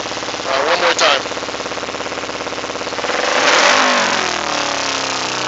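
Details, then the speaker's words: 2008 Kawasaki Ninja 250R with K&N air filter, idling at 2,000–3,000 rpm, sometimes hanging at 5,000 or stalling, exhaust smells of fuel: revs blipped, sag slowly to idle with popping; owner suspects rejet needed. "look how long it takes for her to drop down and I'm sure you guys heard that pop let me try it again"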